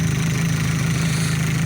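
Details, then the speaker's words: Opel Zafira 1.8 Z18XE idling about 250 km after hydraulic lifter cleaning repair, oil change and engine flush; smooth even hum, no ticking from valve gear, lifters still quiet: normal idle. "так но отчет 250 километров где то пройдено но ни другие не заскучали нормально работают"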